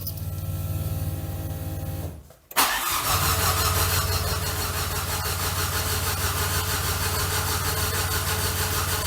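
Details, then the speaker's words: Citroën C15 with a 2L turbo engine at first start-up, ignition coil unplugged and no coolant yet. The starter is cranked to prime the oil circuit and lubricate the turbo while the gauges are checked. Steady cranking at about three beats a second with no firing; normal. "En fait, je vais faire tourner le démarreur pour remettre tout en huile le circuit. Il faut que ça graisse le turbo, tout ça."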